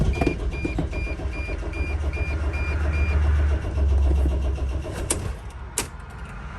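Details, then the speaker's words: 2006 Dodge Sprinter van on jump box after 45 minutes of repeated rest-and-crank attempts: steady starter cranking, three or four beats per second, never fires; crankshaft position sensor malfunction blamed, camshaft and mass airflow codes present. "But it's literally been like at least like 45 minutes, and I've been letting it rest and then start, letting it rest, letting it start. So in that process, and still no start."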